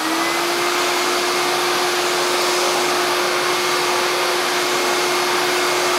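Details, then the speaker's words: Hoover SC364 Vogue 1300 vacuum cleaner, unboxed before restoration: steady, even motor whine with strong airflow rush, no rattles or surging; motor sounds fine, no problem. "I'm not taking the motor apart or anything like that because the motor to me sounds fine there there's no problem with the motor"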